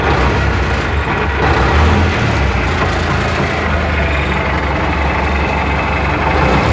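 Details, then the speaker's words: MTZ-80 tractor diesel at warm idle: rough idle with dull uneven thump about four times a second under the clatter; owner says intermediate support knocks once oil warms, not when cold, and vanishes with slight throttle; ball bearings recently replaced. Cause suspected, not confirmed. "Ну і після того, як заводиш, поки холодніше масло не стукає, а як трошечки прогріється, то на холостих обертах бубонить проміжна опора, і то бубонить досить добре."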